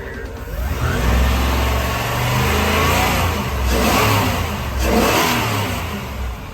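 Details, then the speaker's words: 1999 Tiara 2900 Coronet boat, Crusader 7.4 L29 MPI marine engine with MEFI 2 and GM HEI ignition, after reconnecting a ground wire left off during a transmission repair and rechecking timing: revs climb and fall smoothly, no stumbling; the former 2800 rpm limit is fixed. "Okay, we found the ground wire. We got the engine running. Recheck the timing, and here's our fix."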